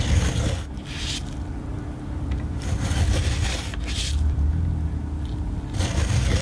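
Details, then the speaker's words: Bolex movie camera (B8L standard 8 or 155 Super 8 Macrozoom): steady rough scraping whir with raspy surges every second or two; dry mechanism needing lots of lubrication. "let's see, that's the sound of one that needs a lot of lubrication. You can hear it kind of like a... Yeah, no, it doesn't sound very happy."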